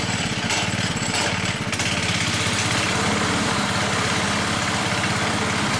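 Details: High-use Hayter 479 A lawnmower, single-cylinder engine idling: loose, uneven knocking slap about 1.5 per second from worn blade brake disc; noise disappears when blade brake engaged. Blade brake disc knock.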